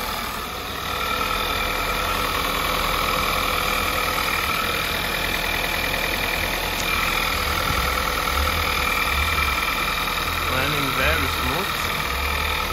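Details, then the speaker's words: 2011 VW Polo 1.2 TSI, CBZA engine at about 100,000 km, just after start following a timing chain upgrade: a steady, even idle with no rattle or slap. The chain drive sounds quiet and healthy. Normal idle. "now I just have to top up the oil and start up the car let's go ahead and do that okay right away fire no issues"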